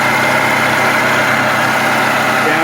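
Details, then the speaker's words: Toyota Highlander 2.7L 1AR-FE four-cylinder at idle: steady gritty whirring over the even idle, constant with engine speed, from the water pump under the alternator, common on these engines; to be fixed by replacing the pump. Water pump bearing noise. "here underneath your alternator is your water pump it's a common noise on these COA products"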